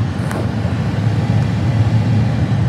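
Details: 2007 Honda Accord blower motor after blower motor resistor replacement: steady, even rush of air over a low hum, no rattle, squeal or surging; blower running normally.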